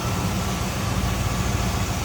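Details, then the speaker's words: 1978 Chevrolet Camaro 305 V8, warmed up and dropped off cold-start high idle, heard at open hood: steady, even low burble with regular beat, no knocks or misses; healthy warm idle. "And warmed up, it did drop off that high idle. There it is."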